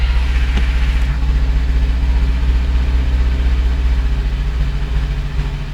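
Steady low idle with a dull, fairly regular knock around three to four per second under the engine note; knock present, cause unclear.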